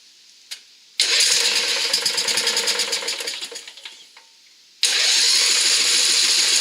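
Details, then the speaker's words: Craftsman riding mower with Briggs engine after carburettor repair: the starter churns in a rattly, uneven rhythm but it never catches. No fuel reached it because the main jet had fallen out and been refitted from the wrong side. "getting no fuel at all now. So I had to tear back into it to see what the problem was."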